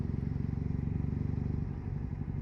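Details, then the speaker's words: Triumph Bonneville SE 865 twin with D&D silencers, after air injection removal, in 5th (top) gear just over tick-over at about 20 mph: a steady, even low thump as it pulls cleanly with no stuttering or misfires, and no more overrun popping. "just over tick over speed, just over 20 miles an hour, and she's pulling. Yeah, it's no stuttering or anything. It's so clean, absolutely brilliant."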